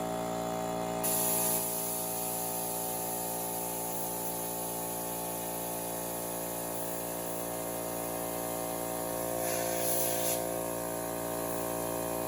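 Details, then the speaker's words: Vintage Craftsman air compressor, worn and with a pressure switch that no longer shuts off, humming steadily; a test pop-off valve taken from a Husky compressor hisses open twice at 111 psi, its printed rating, working correctly. "so it gets to 111 psi which is a the number printed on it and then it opens up"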